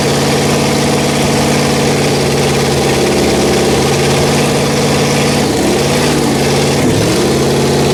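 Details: Rebuilt Pontiac 400 V8 from a 1979 Trans Am on a homemade run stand, second cam break-in after the first flat tappet cam failed: loud, rough-edged steady fast idle with brief speed dips, no ticking; running healthy despite valve cover oil leaks.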